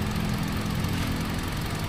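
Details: Hyundai Accent petrol engine idling evenly with a steady low hum after repair, all cylinders firing equally; earlier no firing on cylinder four, ECU swapped for a used unit but the fault was elsewhere.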